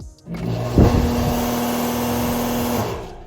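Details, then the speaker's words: American Standard straight-cool condenser fan motor after replacement with an aftermarket 1/6 HP 1075 RPM motor plus added capacitor, contactor pressed in manually to test: steady even hum, no scraping or rattle, spinning the right way; normal running. "It is spinning the right way. I think we're gonna be all right."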